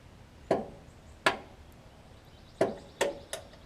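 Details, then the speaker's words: Craftsman riding mower, with a new battery: a sharp single click at each start attempt and no cranking. Only about 8 V comes out of the starter solenoid, which has failed internally and needs replacing. "anything less than about 12 volts is gonna have a bad isn't bad still annoyed and you also hear that clicking noise so that means that something is failed in this solenoid internally"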